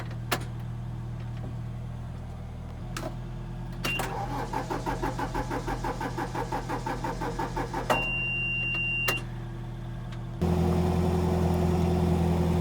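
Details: Farm tractor with a weak battery on jumper cables: slow, laboured cranking at about three beats a second, reluctant to fire. It took three hours and ether to start.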